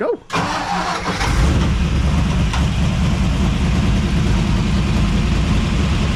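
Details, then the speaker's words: Abandoned 1957 Ford Fairlane 500 with 312 V8, earlier held up by a stuck valve, cranks then catches into a rough, loping low rumble with an uneven beat, running on seven cylinders: dead-cylinder misfire. "wish she crank y'all let it run on seven cylinder there it is oh low"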